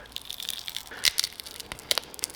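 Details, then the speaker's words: 1968 Datsun 520 restoration, supposedly brand-new rubber bushing flexed by hand: dry crackly crunching in short bursts; perished, possibly old new-old-stock bushing, unusable. "this is supposedly a brand new bushing can you hear it you could probably even hear it crunchy look at that supposedly a brand new bushing does that look new to you"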